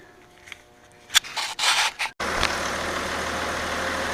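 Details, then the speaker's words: 2001 Audi A4 Quattro 2.8 L V6 after retiming the belt, plugs refitted and new wires, airbox off and MAF unplugged: after handling noise it settles into steady even idle with no stumbles; running clean. "Okay, so now the timing is perfect. I still have to install back the cover, the air box. Right now it's running no mass airflow, and this is not connected. So it seems to run nice."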